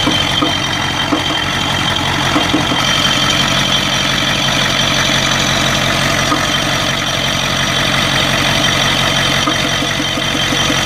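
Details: 1992 Ford 7.3 IDI diesel at idle: a rough, loud run with an uneven stumble and sharp injector-like knocking. The random misfire comes with intermittent blowby. Teardown found the second ring broken in half on two pistons, plus one bad valve guide.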